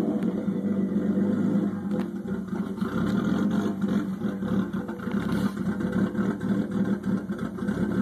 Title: RB20DET rough idle